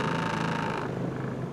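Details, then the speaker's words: 2001 Ford Escort ZX2 daily driver coming to a stop: low lumpy idle rumble, rpm slowly drops and fluctuates, steering wheel and car shuddering; owner reports it also stalls at red lights; rough unstable idle, cause unknown. "oh yeah you see it vibrating car will do that this is one of the problems i keep having the rpms will fluctuate like this when i come to a stop"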